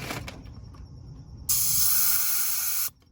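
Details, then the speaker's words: R22 central AC condensing unit with oil residue and multiple condenser coil leaks; pressing the service valve gives a short sharp hiss about 1.5 seconds, some refrigerant left but charge low; compressor still suspected. "Oh, she got some refrigerant there. R22, we have half the pressure of R410A, so I'm still suspecting this compressor."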